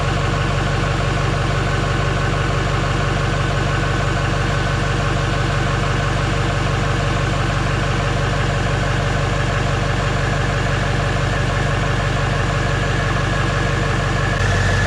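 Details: GM Duramax LMM diesel after full engine replacement: even diesel clatter at a steady idle, firm regular pulse about four per second with no misses or knocks; a healthy idle.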